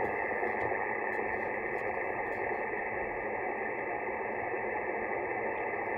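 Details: 20 m band receiver with X-phase QRM eliminator (13 m vertical main antenna, 6 m dipole reference) switched on: steady clean hiss with no buzz from the neighbour's solar panel inverter; the interference is phased out.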